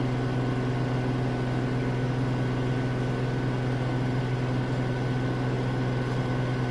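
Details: Samsung AddWash front-load washer at a rental house, spin ramping from about 1200 to 1250 RPM toward 1300 RPM; smooth steady hum and even whir, surprisingly quiet, no banging or rubbing, normal high-speed spin.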